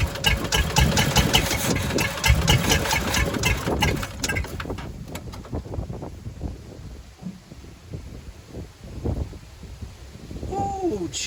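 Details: 1985 Chevy C10 half-ton, 305 V8 with stock Quadrajet carburettor, choke removed, start attempt five: fires in ragged uneven bursts, stumbles, barely stays alive running off the bowl and can't hold idle; owner suspects fuel, possibly distributor install.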